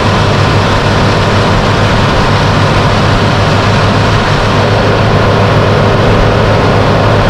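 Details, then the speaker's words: Original 4x4 Suzuki Jimny Katana with engine fan replaced by a Suzuki Vitara fan, so it sounds unlike typical Katanas; steady, even engine note with strong low hum, no knocks, misses or squeals: normal running. "Sedemikian sehingga ini suaranya tidak seperti mobil-mobil Jimny Katana pada umumnya."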